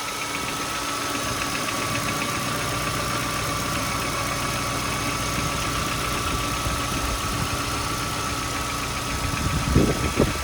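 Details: VW Golf V 1.6 BSE engine at steady idle: uneven tapping about two knocks a second from inside the engine; knocking, cause undetermined.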